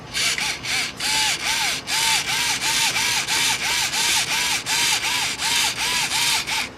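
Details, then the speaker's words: RC car's stock RTR steering servo (Spektrum DX3E remote) swinging back and forth: about sixteen sharp buzzing whines in seven seconds, loud, slow and not torquey, could be stopped by hand. Loud, slow, weak steering servo. "That is loud. That is slow. That is not torquey at all."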